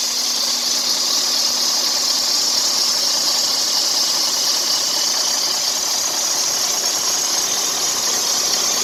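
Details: Freightliner Cascadia (DD13/DD15/DD16 diesel) at idle: steady high hiss and chirping from the accessory belt. The worn tensioner pulls the belt to one side, making it go bad; the tensioner needs replacement.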